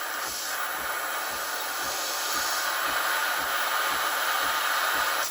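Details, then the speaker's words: Breville Barista Express BES870 steam wand purging at full pressure after being turned on: a strong, steady dry-steam hiss with a faint rhythmic sputter as flushed water comes out, then a clean cut-off; normal steam wand purge. "I just did the the Disco which flushes the Steam on that's why a lot of water comes out"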